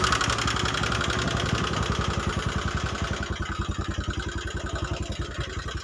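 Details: Honda Megapro New 150cc single-cylinder, smoking, weak and thirsty: coarse, uneven idle with a ragged beat and loud mechanical clatter, worsening when hot; rough running from worn cylinder and valve guides.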